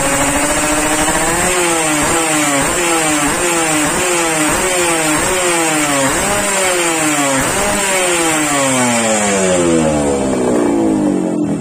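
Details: Yamaha RX King two-stroke, warmed up after daily tuning, exhaust test: about a dozen quick crisp blips, then one long climb. It revs freely and cleanly, which is normal.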